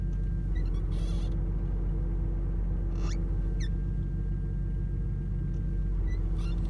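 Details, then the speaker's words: BMW E34 Getrag 260 manual gearbox at idle, heard in cabin, clutch pressed then released, after MANNOL additive: steady low hum, no knocks, possibly worn bearings. "Ну пока звук слышно в салоне вот сейчас выжимаю сцепку бросаю"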